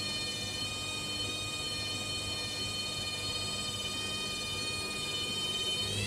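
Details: Hoover Dynamic Next washing machine during spin: high, steady, piercing squeal with several stacked tones climbing in pitch at the end; owner unsure whether it is normal.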